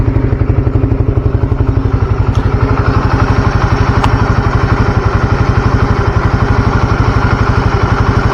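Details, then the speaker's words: Motorcycle engine at idle on Deltalube Adventure 731 20W50 oil, temperature gauge under a quarter (about 40 °C): steady even thump about four a second, no valve tapping; runs smoothly. "Ini untuk suara mesinnya sendiri saya dengerin menurutku pribadi sih adem banget Memang suaranya karena balik lagi kan si-nya kental"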